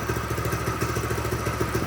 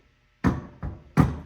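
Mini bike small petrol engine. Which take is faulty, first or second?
second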